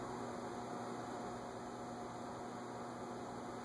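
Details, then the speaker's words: Nutone Slimline PFL-52 ceiling fan at a low setting, drawing about 0.25 A on the amp meter: quiet, even hum with a faint motor buzz, quieter than a fluorescent light, so acceptable; runs fine. "So I can hear the buzz, but it's less than the fluorescent light. You know, that's my rule. If it's less than the fluorescent light, it's acceptable."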